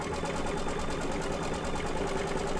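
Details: Embroidery machine after re-threading with a new bobbin: steady, quick, even stitching rhythm with a smooth motor hum, no clunks or catches; stitching normally.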